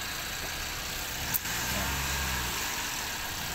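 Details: Toyota Avanza that would not start, now running after work on the fuel tank: steady, even, smooth idle with no misses, knocks or stumbles; normal idle.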